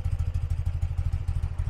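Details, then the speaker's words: 1982 BMW R100RT boxer twin, K&N filter serviced, idling with choke fully off; throttle blipped. Rapid, even low exhaust pulses with no misses or mechanical clatter: super smooth, well-tuned normal warm idle. "throttle response is great it idles super smooth you can see I'll twist the throttle a little bit for you and it just hums right along"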